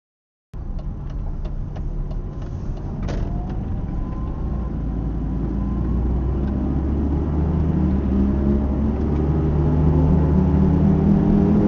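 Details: Mercedes R170 SLK while driving; a low droning hum that builds and deepens with speed over road noise, from a dying hub bearing; wheel bearing hum.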